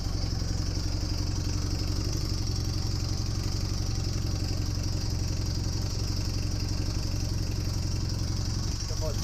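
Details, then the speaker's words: Honda Superdream (Hawk) twin project bike, airbox fitted, engine rebuilt after oil leak, test fire nearly out of fuel: steady idle with a loose uneven patter over the exhaust beat; owner still concerned by an unidentified noise. "still slightly concerned by that noise i'm not sure about that yet"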